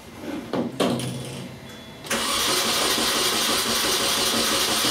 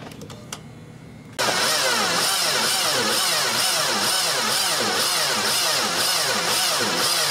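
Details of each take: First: 2002 Mini Cooper 1.6 turbo after a seized alternator was found and spark plugs reinstalled, cranking with amp clamp attached: a few clicks, then steady, even starter speed with no drag or binding; normal cranking. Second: 2002 Mini Cooper 1.6 with new battery and new starter, no start: very slow, laboured cranking about one turn per second as if binding; caused by a seized alternator.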